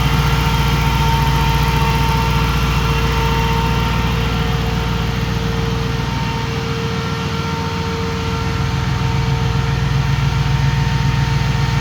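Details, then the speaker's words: 2005 Jeep Grand Cherokee 5.7 HEMI V8 idling with AC on after converting the hydraulic fan to a 16-inch SPAL electric fan: steady, even idle under a constant fan rush, no knocks or misses; normal idle. "Got it. Worked real good. It's ready to go in a 2005 5.7 liter Jeep Grand Cherokee."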